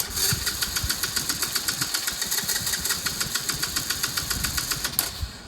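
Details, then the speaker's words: Chinese 125cc ATV quad with intermittent loss of spark, after sitting half an hour: starter churns steadily about four turns a second for five seconds, engine never fires; owner suspects CDI unit, unconfirmed. "why why does it sometimes work and sometimes it doesn't don't get [Applause] it now it's not going to start"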